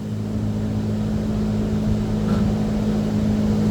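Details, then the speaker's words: AAON rooftop unit's single Copeland digital scroll compressor, with refrigeration module, running at about 47–48% cooling. Steady low drone near 200 Hz, even and unchanging; normal compressor operation. "And so we can you can hear the compressor going on and off. Copeland digital digital scroll."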